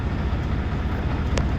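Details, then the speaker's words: Vacuum truck (automatic) pump driven by PTO, engaged for offloading: steady low drone with no knocks or surges; pump running normally. "I get back up in here, I look at this right here, got it cranked up. Now I can hear it going, I know I'm good to go."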